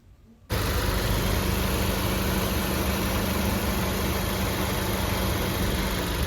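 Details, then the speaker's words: Maruti Baleno petrol, 52,639 km, idling after water pump replacement; the kich-kich chirp from the old pump, whose bearing had lost its grease, is gone, leaving a smooth, even idle with a steady low hum; healthy. "ഒരു sound പോയി ട്ടോ അതിനു മുന്നേ ഉണ്ടായിരുന്നത് കിച്ച് കിച്ച് കിച്ച് കിച്ച് കിച്ച് കിച്ച് പറഞ്ഞിട്ടുള്ള ഒരു sound ആണ് ഉണ്ടായിരുന്നത് ആ ഒരു സൗണ്ട് പൂർണമായിട്ടും പോയിട്ടുണ്ട്"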